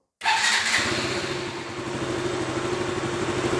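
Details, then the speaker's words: KTM Duke single after a new charging coil stator plate was fitted for a Low Battery fault: quick crank, catches and settles to a steady, even idle at about 1,500 rpm with no misses or knocks; battery reads 13.93 V, healthy. "motorcycle is idling, that is, at minimum, one thousand five hundred RPM (1,500) and we have a voltage of thirteen point ninety-three volts (13.93V), we are well at idle"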